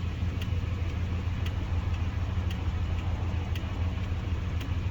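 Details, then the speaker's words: 2nd gen Dodge Ram at idle: turn signal clicks sharply about once a second, blinking slow at times; owner suspects the flasher relay is going bad, replaced with an LED flasher. "So my turn signal's kind of slow at times."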